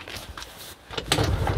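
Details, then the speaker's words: Kymco Agility 50 scooter, new battery fitted, electric starter only clicks so kick-started: brief kick scuffle, then a low putter picks up about a second in; fires first kick but idle rises slowly. "Ah ben quart de tour. Quart de tour par contre il monte pas vite au ralenti."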